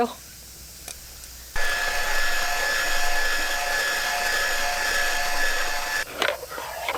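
A steady high motor whine with a gritty crunch over it for about four seconds: the shaver is cutting ice properly.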